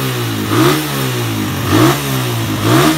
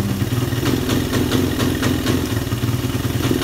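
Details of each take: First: Suzuki Satria F150 that idled but wouldn't rev, after adding ground wire from engine to black-white cable: engine revs up and drops back cleanly about once a second, pitch climbing freely; faulty ground was the cause, possibly corroded. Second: Suzuki Satria F150 motorcycle idling with a steady, low, uneven pulse. It won't rev when the throttle is opened and is sometimes hard to start. The owner suspects the ignition, or possibly a leaking valve.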